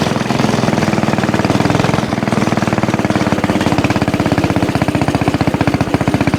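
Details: Axis/Coleman M200 mini bike, 196cc single, tuned 22mm Mikuni carb with needle raised, exhaust, governor delete, flat out at about 31 mph GPS max: screams at a steady high beat that never climbs further; owner suspects stock valve springs floating.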